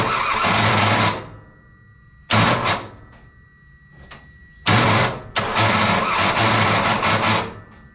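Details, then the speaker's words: Kei truck (bought as a parts truck) cranking after the overheated starter cooled and the wet spark plugs were cleaned: harsh gritty grinding bursts with each key turn. Starter grinding suspected from a rusty flywheel ring gear and a missing top starter bolt. "Again, I think that noise is a combination of our flywheel being a little bit rusty, like our ring gear, and us not having that top bolt for the for the starter."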